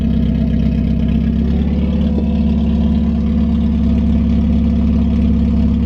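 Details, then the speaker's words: 1991 Mazda Miata 1.6 with replacement aftermarket headers, downpipe not connected to the catalytic converter (gap, needs welding and extending): loud, deep, open rumble at steady idle. Exhaust leak. "the next step for me is going to the welder and extending the pipe let's see how she's gonna sound without 300 gap away from the catalytic converter"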